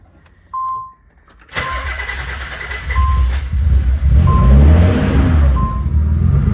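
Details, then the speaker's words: Vortec car after fuel pump control module bypass wiring, connector just plugged in: warning chime over a short crank, almost didn't start, then catches into a steady low rumble; normal start, checking whether the ground wire heats. "almost didn't start so right so what i'll do i'll let it run for a little while and then i'll come back to it and see if it gets hot"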